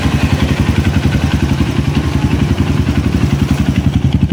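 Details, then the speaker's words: Honda CRF150 after oil-starvation rebuild and new starter carbon brush, first start after a week unused; steady idle near four beats a second with raspy puff each firing pulse: exhaust leaking at header. "So bale singaw lang yung kanyang tabutso dito."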